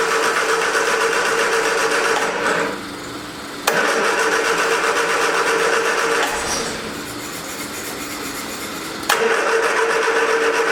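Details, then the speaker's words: 1979 Triumph Spitfire on its original fuel pump, with starting fluid sprayed at the carb and the original battery charged: long bursts of steady cranking about four turns a second, never catches. Owner thinks no fuel is reaching the carburetor. "oh he is not cranking i don't think we're getting any feel up there to the carburetor"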